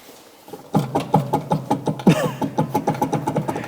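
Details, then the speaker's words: BMW E36 318is sitting 15 years, front left wheel spun by hand: rough rhythmic ticking and grinding about three knocks a second, bearing cage heard turning; worn front wheel bearing. "and then we have a small problem regarding the front wheel bearings you could hear when I went to pick it up you could really hear a deafening noise from the left wheel"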